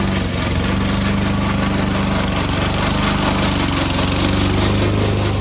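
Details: Old Toro Recycler mower cutting Kentucky bluegrass, binaural recording, before fix: steady engine drone with a loud rattling clatter about four times a second from the drive system; the noise was later solved with WD40.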